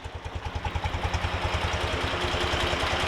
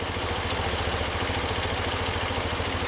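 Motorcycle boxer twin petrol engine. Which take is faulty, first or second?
first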